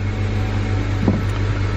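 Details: 2008 BMW 335i E90 start after replacing DMTL fuel vapor leak detection pump (Dorman 310-601): engine catches into smooth, steady low idle, no misses, knocks or ticks.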